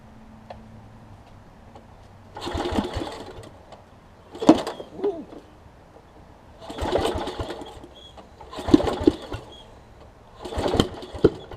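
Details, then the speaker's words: Small engine on a traded-in machine runs in uneven bursts, surging then dropping every few seconds, missing and rough; owner suspects a bad spark plug and plans to try another, not confirmed. "sounds like oh almost sounds like a bad plug i might try a different plug real quick see if that helps any"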